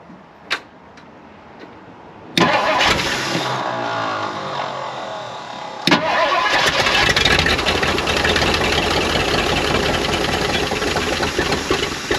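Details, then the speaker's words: 1959 Edsel Ranger, 361 Super Express V8, sitting for years, little gas in it: starter cranks, engine barks to life, catches again and runs rough and uneven; fuel system needs sorting; fires briefly, hard running after long storage. "So, she did bark off. There is life. She will run. We're just going to have to sort out this fuel system."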